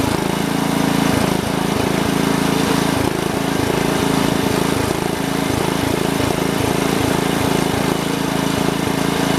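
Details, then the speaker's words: 1971 110 tractor, single-cylinder, after taping a spark plug wire that was rubbing and falling apart (new wire still needed): steady clean chug at about three beats a second with no snapping or misses; running fixed, needs some adjusting. "It's gonna need a new spark plug wire, but it's running. I don't hear it anymore. Let's give it another shot. Let's see if it's fixed. got to do some adjusting, but yeah, I'd say it's fixed."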